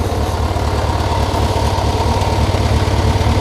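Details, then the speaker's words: Yamaha XJR400R with an air-cooled engine and a stock muffler, idling steadily with a low, even burble. None of the typical starter-chain clatter is heard, which suggests a normal, well-kept engine. "ねどうでしょうあのxgrのま病というかですねあのま正常差動の範囲だと思うんですけどもxgrっていうのはここにですねスターターチェーンってのが入ってるんですねでこれがその低速の時は少しこうバタバタしてしまいますでえその音がカチャカチャ言う答っていうのは割とあるんですけどもこいつに関してはそれが全然ないですね"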